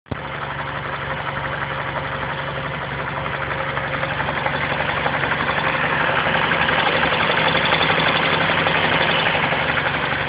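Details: 2007 VW Golf 5 GT engine idling with a fast, fairly regular ticking rattle and a faint steady tone riding over it; the source of the strange noise is unidentified.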